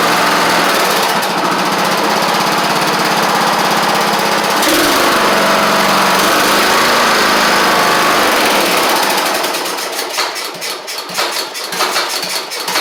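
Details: Troy-Bilt Horse XP riding mower repowered with a replacement single-cylinder engine after the old one had a hole in the back; carburetor doubted. First start: loud, even single-cylinder beat at a steady fast rate with no misses, then winds down; it cranked up and ran great, though the choke is stuck.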